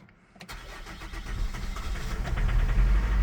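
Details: Holden Captiva 2.2 diesel, no start after EGR replacement: cranking with throttle after bleeding air from the fuel, it catches and builds into a lumpy, uneven clatter. Starts but runs rough with air still in the fuel.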